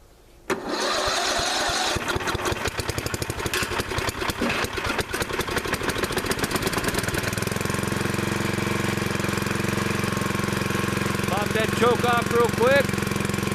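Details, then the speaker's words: Craftsman riding lawn mower, cold start at about 43°F, jump-started from a car battery with screwdrivers across a faulty starter solenoid, choke out: single-cylinder catches after a few cranks into a steady but slightly uneven idle; owner notes minor carburetor issues. "that's how it's running good sounding engine got a little bit of carburetor issues uh but i'm not to worry about it"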